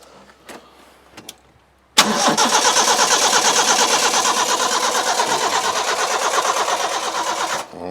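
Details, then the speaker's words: Mercedes Sprinter diesel van abandoned two years, on a battery pack, no fuel pump heard: the starter spins the engine with an even rhythmic chug for about six seconds but it never fires; cranks but no start. ">> I don't think we got any fuel pump action."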